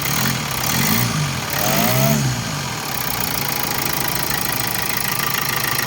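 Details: 2014 Hyundai Santa Fe CRDi diesel after timing chain components replaced to fix knocking; steady idle with usual injector clatter, no heavy knock, knocking gone: normal diesel idle.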